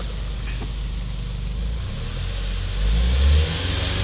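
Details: Hyundai Starex D4CB diesel, replacement surplus engine fitted for blow-by: rumble building smoothly as revs rise and fall, no knocks or rattles; strong power, no smoke or oil spray; healthy before road test.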